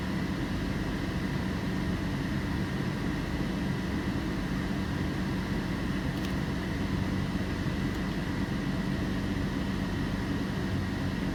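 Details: 2007 Toyota Tacoma, engine running: thin, constant high-pitched alternator whine over the engine rumble, rising when accelerating; voltage drops below 12 V with AC and headlights on (should stay 13.5–15 V), engine-off battery 12.4 V. Failing alternator.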